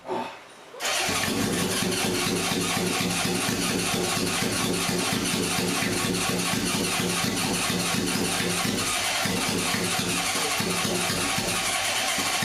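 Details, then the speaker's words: 1978 Honda CB750K barn-find, long-sitting, on choke: uneven lumpy run with a hollow skip; cylinder 2 not firing, plug 2 had no char. "It turns out cylinder 2 wasn't firing."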